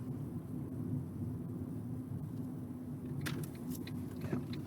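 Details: Ford Ka, recorded with NVH hub accelerometers, coasting in neutral from about 35 mph on a rough road; only soft even road roar with a few stone clicks, no hum or growl from hubs; quiet healthy wheel bearing.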